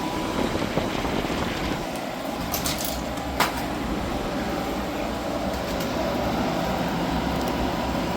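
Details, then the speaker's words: Hyundai small portable air conditioner after leak repair, recharge and passed leak check: steady whoosh of fan air over low compressor hum with light clicks; working, significantly cool, no longer icing up, just noisy. "Um, so yeah, I'm quite happy it's uh all working and it's significantly cool. It's quite noisy."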